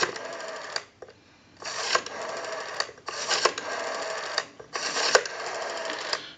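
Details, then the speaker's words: Western Electric 302 rotary desk telephone during checkout: each dial pull gives an even whirring return about a second long, with steady clicking and a clean stop. A normal, smooth rotary dial return. "we have a nice smooth return on our rotary now"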